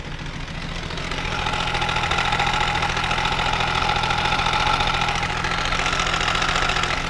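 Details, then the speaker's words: Benelli 899 TNT idling with a fast metallic rattle over an uneven beat; plugs, injectors, coil and sensors checked fine, so the cause is a fully stretched timing chain. "ya ustedes más o menos conocen lo que es el síntoma cuando empiezan a escuchar el sonido que presenta la cadena de tiempo"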